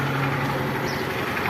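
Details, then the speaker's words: Honda Bros 150 single-cylinder idling after both rocker arms replaced; loud noise gone, even idle but a faint light knock remains, attributed to worn cam chain still to be replaced. "pode ligar bem aquele barulho terrível parou certo pessoal mas ainda uma batidinha aí tá pouca coisa aí ó"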